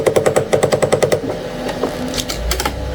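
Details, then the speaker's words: Anycubic ACE Pro, first slot, retracting filament: a fast, even rattle of about eight clicks a second as the gear fails to mesh, gets stuck and grinds. The second slot retracts smoothly; owner suspects placement of the first slot's part. "I know for whatever reason the first one here is not connecting well with this gear here and it's just getting stuck and then it grinds"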